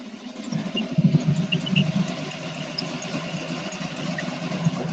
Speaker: and that's really smooth wow